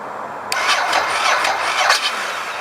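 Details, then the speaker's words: Ducati S2R 1000 no-start at about 48 degrees, fuel pump and headlight disconnected, fully charged 12.9 V lithium battery dropping to 8 V on cranking and the ECU resetting: slow labored starter, never catches; weak cranking from low battery voltage, battery lacked the correct CCA. "Now I'm going to hit the starter. As you heard, the ECU just reset. Jumps on to 8 volts."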